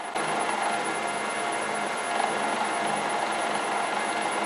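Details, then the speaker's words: LT230 transfer box centre differential, out of diff lock, with one output shaft held by hand: a steady, even gear whine with a fine high ring. The straight-cut (non-helical) differential gears make the noise, showing the differential working. "These gears are coming to operation, and because they're not like on a helix, they're just flat gears, they're making that noise. So that differential is working."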